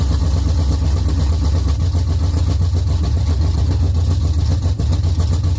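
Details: LS-swapped Chevy Camaro V8, first run after rebuild, no coolant or transmission fluid yet: deep steady V8 rumble with even lope, no knocks or ticks; normal running.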